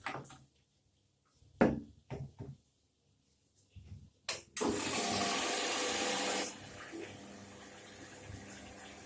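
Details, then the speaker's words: Indesit washing machine after cleaning the clogged pressure-switch hose that made it drain while filling; clicks, then steady water rush easing to a trickle, fills to level and the heater comes on normally. "Как видим, вода набралась до определенного уровня. Включился тен."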